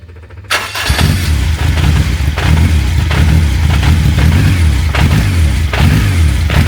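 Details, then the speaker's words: Honda K24 engine in a car with custom exhaust and new flexi section, first start outdoors, no coolant in yet; catches after short crank then loping uneven firing with surging revs: rough running, not yet properly running. "Well, that's it started. We can't call it running by any means yet, but I don't have any water in it"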